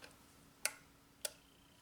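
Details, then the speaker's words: 2003 Honda Element EX 2.4L four-cylinder, A/C condenser fan relay cycled by a relay tester: crisp, even clicks about every 0.6 s. Relay tests good, so the fan itself is the fault. Normal relay clicking. "you hear it clicking it's opening and closing that relay that's the relay clicking"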